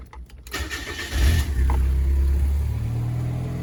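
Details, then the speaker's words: Miata bought for restoration, whose engine bay looks rough. A brief crank catches quickly, revs up, then drops to a steady, even idle without stumbles; it starts and runs well. "It starts up and it runs pretty good. It sounds nice."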